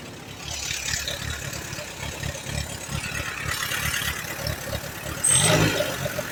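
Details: 1938 Allis Chalmers B with Waukesha engine: it lopes unevenly at about four beats a second, surging and stumbling. It runs only on choke, plugs are slightly rich, and the carburetor needs rebuilding.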